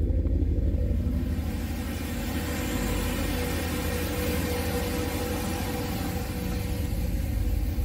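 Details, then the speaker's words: Boosted 408 LS V8, 9.3:1 compression, stage 2 cam (228/230 duration, .585 lift), new 100 lb/hr EV14 injectors, third start, coolant around 197–199°F: deep lumpy even idle, no knocks, no oil burning; healthy. "but that's what it's going to sound like so pretty good tone sounds good we're not burning any oil so that's nice"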